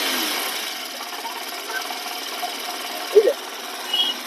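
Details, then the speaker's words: Honda Shine 125 BS6 at 17,000 km, after engine teardown and fitting a clutch bowl (previously a crank-like rattle that stopped when the clutch was pulled): idle with light, even mechanical chatter, no rattle or knock. "लेकिन जब से हमने य fit कर दिया clutch कटोरा fit कर दिया है और अब इसकी आवाज बिल्कुल क्लियर हो गई है"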